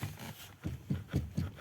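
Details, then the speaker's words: Renault Megane 3 Scenic with a suspension knock: as the wheel is rocked, dull, loose clunks about four a second. Play in the steering intermediate shaft (cardan) joint increased after the rack was raised, changing the joint angle. "как слышно это чувствуется Да вот вот здесь у нас люфт вот здесь у нас люфт сейчас он увеличился"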